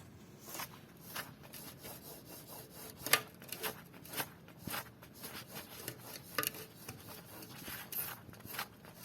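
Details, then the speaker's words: Opel Astra G wheel hub, removed and turned by hand: quiet, gritty scraping and ticking in uneven bursts, a bad hub bearing. "One micron in the hub, in the cementation of the bearing, can make horrible noises, and when you can hear that, that's a bad bulb. That's a bad bearing."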